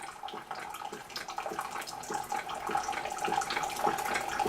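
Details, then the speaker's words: Keurig 2.0 coffee maker brewing with the strong setting off: soft, fairly even pump clicks about twice a second over trickling water. Normal pump noise pushing water through. "you can hear that pump clicking back and forth, pushing that water through. Like I say, this one here is much quieter than this one, but realistically, I don't care."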